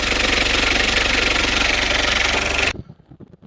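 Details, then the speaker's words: Citroen Berlingo after a new down pipe and exhaust were fitted and its oil serviced; even, steady idle with a smooth regular beat and no puffing or ticking before shut-off; no oil or exhaust leak. "Let's get a rev. It sounds good. What we like. Brilliant. No oil leak and no exhaust leak."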